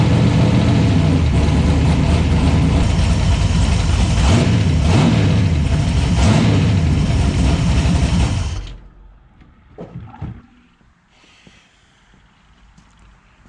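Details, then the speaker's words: 1970 Plymouth Barracuda, newly installed 400-block 512 big-block stroker with Trick Flow 240 heads, cam and intake: rumbles unevenly for about eight seconds, then sags and stalls, unable to idle. Owner suspects a vacuum leak. "got to check for vacuum leak or something because it won't idle."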